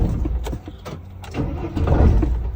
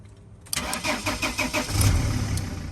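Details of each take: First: T1N Sprinter diesel van (2000-2006) in very cold weather: uneven labouring cranking with scattered puffs that never catch; no start from gelled diesel fuel. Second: 2000-2006 T1N Sprinter (Dodge/Mercedes/Freightliner) no-start check: one sharp click from the start relay under the seat, then about two seconds of even, rhythmic cranking. Starter and relay working normally.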